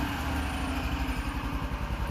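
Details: Engine idling after warm-up, choke turned off then back on as it was still a little cold; even single-cylinder putter at steady idle, no misses or knocks. Running properly.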